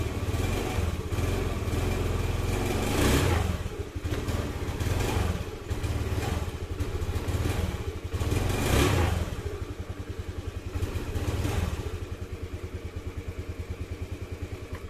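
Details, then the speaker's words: Honda Beat FI scooter that stalls or stumbles when throttled: revs rise then stumble, sag unevenly and nearly die; suspected weak fuel pump pressure (TPS or spark plug cap also possible), to be checked with a pressure gauge. "Nah jadi seperti itu penyakitnya untuk mengetahuinya kita perlu menggunakan alat yaitu alat ukur tekanan atau fuel pumpnya Yang Lemah atau item yang lain yang kena"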